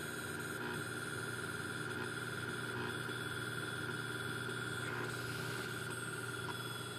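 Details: Pentium III PC emitting a steady, piercing constant-pitch whine over a faint low hum; source inside the computer unknown.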